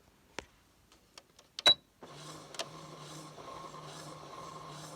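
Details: Brother CS6000i sewing machine stitching in reverse after repair: a few light clicks, then a smooth, even hum with a soft regular patter. Reverse failure was two gears knocked out of alignment, possibly by lint or thread.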